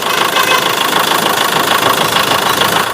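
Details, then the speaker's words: Mahindra Scorpio mHawk diesel after engine rebuild, idling: harsh uneven metallic clatter about three knocks per second with ragged beat and light exhaust smoke; faulty injectors causing knock and misfire. "दोस्तों, इस गड़बड़ी की वजह से car से हल्का धुआं भी निकल रहा है , जिसे मैं आपको पीछे से दिखाऊंगा , और आप शायद सुनकर ही मिसफायर की आवाज समझ जाएंगे।"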